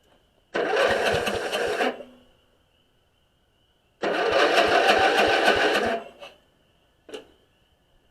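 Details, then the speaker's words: Stanley 46" Murray garden tractor 461008x692A (2003), Briggs & Stratton engine: two quick rhythmic starter-cranking bursts, each under two seconds, with no firing. Fuel is confirmed coming out of the fuel pump, so the problem is probably in the carburetor; the tractor also needs a new starter. "so we go fuel coming out so the problem is probably in the carburetor then"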